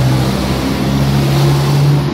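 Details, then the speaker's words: Bajaj RE three-wheeler that would not start despite new carbon brushes, after starter removal, repair and reinstallation: engine catches smoothly and settles into a steady, even idle, no grinding or hesitation; starter now working normally. "starter at yan Mga boss idol so napaka smooth po ng pag-start niya at goods na goods na ulit yung kanyang starter"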